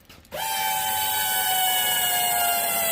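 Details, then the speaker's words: Ford SVT Lightning with a Whipple-supercharged 3.4 L, forged block, Trick Flow heads and new -10 inlet / -8 return fuel lines: pumps switch on with a steady high bee-like buzzing whine; normal fuel pump priming. "sounds like a bunch of bees there so all right so we're gonna crank it up guys"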